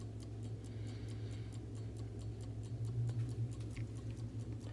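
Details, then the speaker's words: Vintage Coca-Cola electric clock after replacement rewind motor fitted and wires resoldered to correct terminals: even tick about five per second over low hum, no drag or stalling. Normal ticking. "I have now got the wires soldered back on their correct terminals on the replacement motor and it's ticking now"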